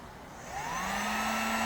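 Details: Heater on 750/1500 W settings powered by DIY hand truck 1000 W inverter, switched 1500 to 750, wiring cool: steady fan whir with hum that climbs then settles and holds even; normal running.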